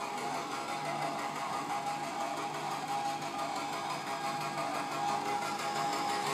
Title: Frozen Server strange noise